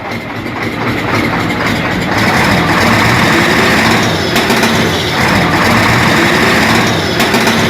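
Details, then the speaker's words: Hino Euro six-cylinder diesel truck with only cylinders 3, 5 and 6 working and slight smoke: loud rough running with uneven sharp pops in the exhaust as revs rise; misfire from a blown head gasket. "और जैसे the firing की आवाज नहीं आती पटाखे की आवाज आती है तो वैसे यह पटाखे मार रही है ठीक है"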